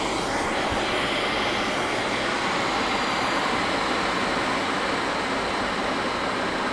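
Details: HP EVA6000 disk storage rack with four full disk shelves at power-on: a brief rising whine settles into a steady, loud, even rush of many fans at full speed; normal run-up.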